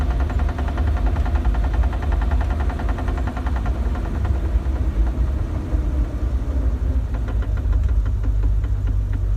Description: 1997 Jeep TJ, 4.0L with 5peed manual. Started making a clicking sound after transfer case fluid change